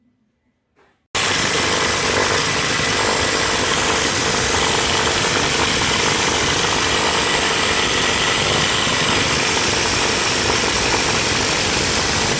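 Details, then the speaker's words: Copeland scroll compressor in a Panasonic floor AC unit, run 8 years continuously without an oil change: harsh, loud clattering at three to four knocks a second with rough rattle between, movement irregular. Compressor internal knocking from a worn part. "Lihat, gerakannya tidak beraturan. Saya mematikannya karena suaranya terlalu keras."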